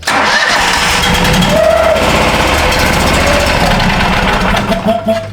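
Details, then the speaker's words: 2013 Steiner 440 air-cooled two-cylinder carbureted tractor, crank-no-start with no fuel delivery, air cleaner off, run on starting fluid sprayed in; runs rough and uneven a few seconds then sags and quits. "that's it she runs out of sauce and it quits"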